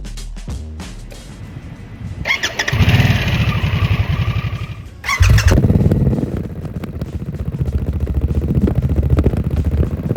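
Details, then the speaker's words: 2024 Harley-Davidson Nightster Special V-twin with a newly installed S&S Grand National slip-on muffler and new intake: a couple of short cranks, then it catches into a deep, lumpy, even idle, sounding healthy, no longer lawnmower-like. "And I put the new SNS on here. It sounds beautiful."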